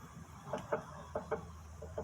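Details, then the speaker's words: 2014 Honda Fit, underneath the car at the front suspension: short rubbery creaks in pairs each time the stabilizer link is rocked by hand, silent between; link looks fine but is worn and noisy. "nesse caso aqui ela não apresenta da solta nem nada mas ela tá fazendo barulho quer"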